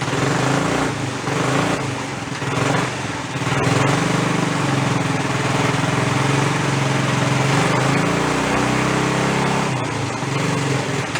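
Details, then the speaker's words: 50-year-old abandoned Rupp mini bike, revived, primed, just started with choke partly on: small single-cylinder engine putters steadily with a slightly rich, uneven edge, holding revs. "And choke on. Give her a couple of primer shots. There you go, leave the choke on a little bit."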